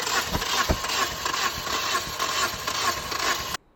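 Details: Toyota Corolla that sat outside unused, with codes P0301/P0303/P0304, a new battery, fresh gas, and flames from the throttle body. Pump, fuses, plugs, coils and injectors check fine. It cranks quickly and evenly for several seconds with no firing, suggesting low compression possibly from a slipped timing chain.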